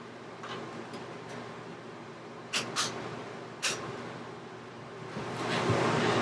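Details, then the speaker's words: Ducted Coleman rooftop RV air conditioner after RVAirflow filter install, filter now held flat: steady rush of air, roughly twice the airflow at the vent and really cold. "i can feel like i i would guess at least probably twice as much air coming out of that vent and it's really cold"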